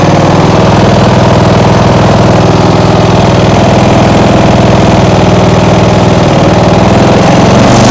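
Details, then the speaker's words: Small single-cylinder lawnmower engine (2010) on an outboard rig, idle left as adjusted: steady even beat around four per second, no hunting or surging; stable normal idle, something getting hot. "think I'm gonna leave it like it is now. It seems to be running stable."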